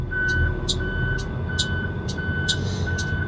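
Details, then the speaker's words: School bus diesel parking brake check: park brake applied, transmission in reverse, engine held at 1,000 rpm; about two evenly spaced high beeps per second over a steady rumble. Reverse warning beeper working normally; brake holds, bus doesn't move. "So I'm going to get set up for reverse, put it in reverse, and make sure the parking brake holds. I'm taking it up to 1,000 RPMs."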